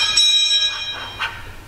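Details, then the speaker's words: Lada Niva transfer case at 26,000 km, opened to fit an AVT locker: original closed-type factory bearing spun by hand rings with a high metallic tone and scratchy swishes; noisy, being replaced. "слышно 100 работает с каким-то шок сумму сейчас поставим другой также покажу послушайте как он работает"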